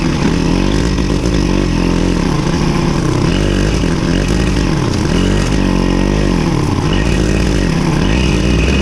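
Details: Victa Super 24 / Super 600 70-series two-stroke mower, revived after sitting for years with cleaned carburettor, mowing thick growth; loud, steady drone dips slightly under load and recovers cleanly, healthy.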